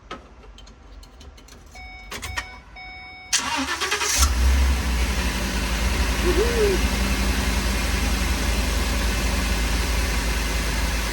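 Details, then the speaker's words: Ford 5.4 V8 after rodent-damage repair, new exhaust manifolds, coils and plugs: a few clicks, brief crank, then catches and settles into a smooth, even, quiet idle; healthy start. "Alright, well, she's looking much better. We're going to take her for a ride. Alright guys, I'm coming back to the shop here shortly. Everything's looking good. It's nice and quiet."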